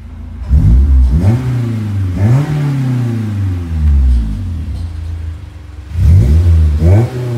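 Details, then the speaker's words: Honda S2000 with Flowmaster mufflers: three quick free revs climb smoothly and drop cleanly to a steady idle, deep even exhaust note with no misses. Sounds healthy. "that sounds pretty damn good anyways it's like some Flowmaster mufflers with some random tips on it"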